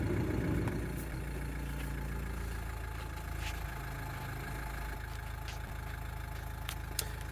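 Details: 2013 Nissan Qashqai 1.5 dCi diesel (lack of power, engine light) after cleaner, manometer hooked up: quick start, low even clatter settling into smooth steady idle.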